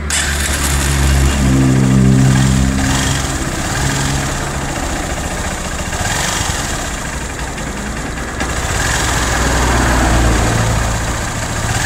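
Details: Cold first start on a motorcycle engine: quick steady metallic tapping over the idle, like metal knocking, from hard carbon buildup on the head striking the piston; the noise goes away once the engine warms up.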